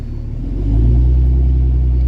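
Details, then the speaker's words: Truck after replacing an injector and turbo work: deep steady low rumble swelling as the engine picks up, much quieter up front and louder at the back, no chuffing or hissing; exhaust sealed, running right. "well I don't have any lights and she's a lot quieter up front and a lot louder in the back"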